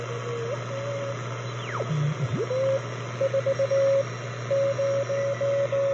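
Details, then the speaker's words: Telefunken Jubilate receiver on the 80 m CW band with a newly built internal BFO powered from the 7 VAC dial lamp through a rectifier, loosely coupled to the antenna: clean steady beat note near 600 Hz keying Morse over soft hiss; BFO working properly. "this is my telefunka Jubilee and we're in the 80 meter code band here you can you can hear the CW there we go"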